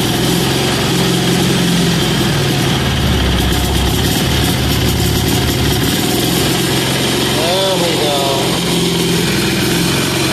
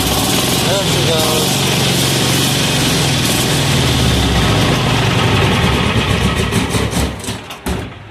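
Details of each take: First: Amazon 186FA single-cylinder diesel engine, warm, running on filtered used synthetic motor oil after starting on diesel: steady, even chug holding constant speed with no misses or stumbles; normal idle. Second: Amazon 186FA single-cylinder diesel running on filtered used synthetic engine oil: loud clatter that holds, then surges unevenly and dies away, stumbling on air pockets in the fuel line.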